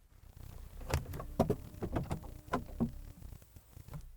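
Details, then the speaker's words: 1991 Mercedes S124 300TE 24V central locking after a blown fuse was replaced: a few sharp lock clunks and a short low vacuum-pump hum that stops within seconds. It cycles normally; the trunk lock is noted as slightly crunchy. "and we're good see you next time"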